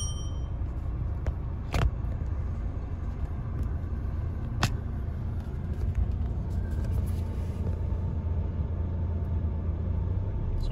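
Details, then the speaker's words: 2017 Renault Megane 1.6 dCi diesel, started just after a fuel filter change: a steady, even, low rumble at idle with no lumpiness or hunting. Normal, smooth running. "running nice he's not lumpy he's smooth so I think we're okay I'll just leave it idling"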